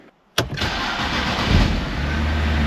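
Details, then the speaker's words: BMW 128i first start after intake manifold upgrade and engine refresh: catches instantly with a sharp flare, then settles into smooth steady idle within two seconds; normal start, slight smoke possibly from valve seals. "Purrs like a kitten. She just fired right up. No issues."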